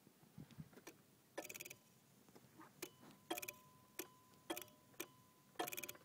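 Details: 1991 Honda Civic with a freshly recharged battery, new fuel pump, good fuses and a recently replaced 60A fuse: key on gives no starter cranking, only chattering main relay clicks. Owner suspects the main relay; cause not yet found.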